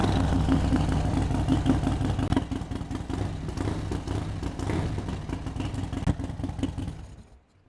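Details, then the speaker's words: Bike with newly installed 574 cam kit, first start, fuel low: loose, loping V-twin beat about three pulses a second, running evenly with no knocks before shutting off; sounds healthy. "right, that sounds pretty good. Just a quick start."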